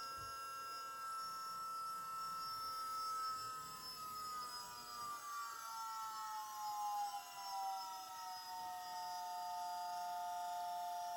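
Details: Volvo electric power steering pump fitted to a Chevy S-10, car lifted, first run after wiring: clean steady whine sliding smoothly lower in pitch as the speed is turned down, no grinding or rattle; pump running normally.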